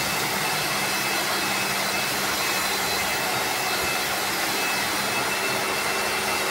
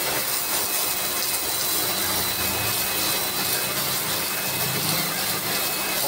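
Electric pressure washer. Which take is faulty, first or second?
first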